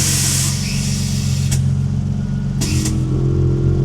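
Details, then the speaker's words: Mercedes-Benz 190E super turbo, newly installed air-ride, engine idling, moving from raised to driving height: two short sharp air hisses as valves vent, suspension settling normally to ride height. "So this is a good height to be able to really clear everything whilst you're driving normally. And then we have slammed. That is the lowest setting I have right now."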